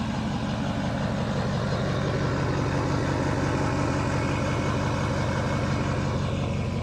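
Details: Ford F250 6.0L Powerstroke diesel, first start after removing and cleaning sticking Garrett VGT turbo vanes/unison ring: smooth, even diesel clatter at steady idle, about three pulses a second, no surging, knocking or whistle; normal idle, engine light on (possibly pre-existing).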